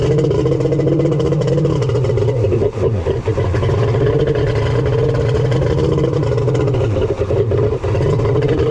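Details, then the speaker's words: Kawasaki 1100 triple jet ski (X2), cylinders just bored and engine reassembled: flat steady drone that never climbs under throttle; won't rev, held back by wrongly set ignition timing on the Zeeltronic CDI. "all right folks it won't rev ah I knew it sounded weird on the bench"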